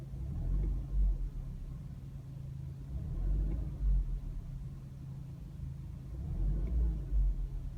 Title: Ruido al acelerar